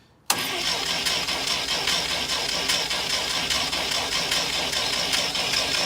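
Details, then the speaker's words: International Scout 80, after an oil change, out of gear with the coil disconnected, cranked by a button to circulate oil through the new filter: the starter turns the engine over at a slow, fairly steady rhythm without firing. Normal cranking, no start. "So it's out of gear and the coil isn't hooked up, so we're just gonna crank it over here and let it just circulate the oil."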